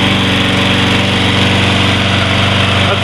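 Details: Troy-Bilt 21-inch mower, Briggs & Stratton 675 series engine, first start after carburetor cleaning: steady even beat, no hunting, surging or power loss; starts much better; normal running.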